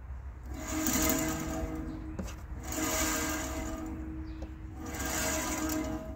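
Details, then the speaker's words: Norwood HD36v2 band saw, freshly tensioned band, new clutch, new roller guides: even steady hum with slow gentle swell every couple of seconds, no ticks or grinding; tracking perfect, clutch aligned, belt running true. "just listen to it how even it is and smooth it is um this clutch is lined up perfect there's no misdirection in the belt"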